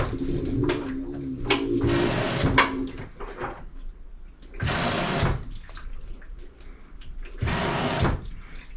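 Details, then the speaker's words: LG 2301 front-load washer being diagnosed for low water fill: the inlet valve actuates and water rushes in strong bursts with quiet gaps, no humming stall, so this valve works normally (another, the hot valve, only hums). "you hear valve actuate and then water flowing in foreign that's exactly what we want to hear"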